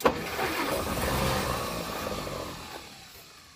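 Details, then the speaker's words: 1937 Pontiac Silver Streak barn find, long sitting, cranking with ether and a little throttle, no choke: a fast, uneven churn that fades without catching. "I think those points are shitty yeah they're not consistent so I'll check the spark again hang on"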